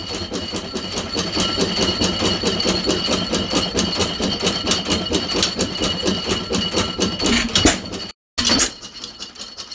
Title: 1915 Stover 6HP Running💪 (The Ugly "Clicking sound is just the Fairbanks Morse magneto conversion)